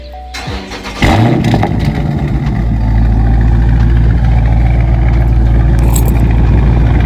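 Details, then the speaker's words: Dodge Charger/Challenger start after lubricating the active exhaust with WD-40 Specialist dry lube with PTFE: the big petrol engine cranks, fires with a loud burst and settles into a deep, steady idle with no exhaust squeak. "I put the nozzle in there [Music] and it's all done no more squeak"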